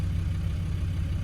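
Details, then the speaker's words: Land Rover Discovery 2 V8 after replacing only the fuel pressure regulator and bleeding the fuel system: it starts first go into a smooth, even idle with no misses or ticks. "Oh, there you go. Started first go."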